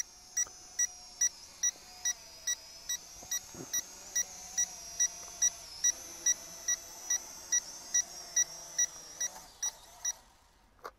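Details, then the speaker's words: Snaptain SP650 drone remote controller beeping quickly, about two a second, over a thin high drone whine, warning that the flight battery is empty and it is time to land. "So, ihr hört das Piepsen, das heißt, die Batterie ist leer und die Fernbedienung wird das oder signalisiert das dann per Ton."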